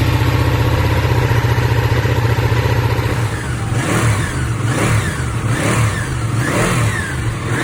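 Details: Ducati 959 Panigale engine idles evenly, then revs cleanly in four quick blips with no knock, after repair of its engine knocking sound.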